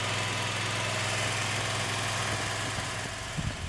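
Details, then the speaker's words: Wright Stander ZK mower after wheel motor, pump, hose and filter replacement, reservoir being filled with 15W-50 Mobil 1 and air purged; engine running with steady even drone and smooth hydraulic hiss, no knocks or whine, needing more fluid. Normal running. "Alright, so I got the motor running and looks like it's going to need quite a bit more fluid."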